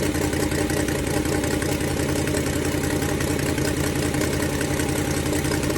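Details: Ford Falcon 289 V8 idling during a cooling-system flush for rust-caused overheating: fast uneven puffing tick, about three a second, over the exhaust note from an exhaust leak; fix planned for tomorrow.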